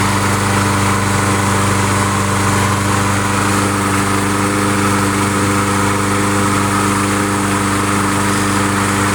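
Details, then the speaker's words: Briggs & Stratton 6.5 hp Craftsman mulcher mower engine after new spark plug and carburetor/jet cleaning: even steady drone at constant speed, no surging, hunting or misses; normal running. "okay sounds pretty good sounds pretty good"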